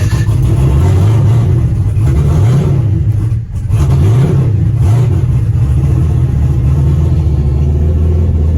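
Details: 2002 Pontiac Trans Am WS6, fresh-build iron-block 6.9L LS with VSR 78mm turbo, Holley Terminator X, allegedly zero miles, starting: catches, stumbles, nearly dies, then revs unevenly with lumpy hunting note; runs rough, needs tuning.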